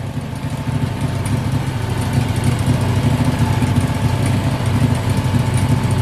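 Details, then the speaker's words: Honda engine driving a Norwood sawmill: steady lumpy low idle with even throbbing pulse, no knocks or misses; running smooth. "That thing sounds like got a cam in it, one of them 358 Chevrolet racing cams in it. It's a Honda."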